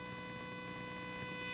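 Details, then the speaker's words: Video card noise heard through a Rockville vacuum tube amplifier and speakers, mic moved to the speaker: constant buzzing hum with whine when moving the mouse; traced to motherboard power/ground plane, gone when audio out unplugged. "All right, so when I move the mouse around, you hear kind of that humming sound. But when I rotate, you can hear the video card actually transmitting either through space into the vacuum tube amplifier, or the amplifier is picking up noise on the electrical line from the video card."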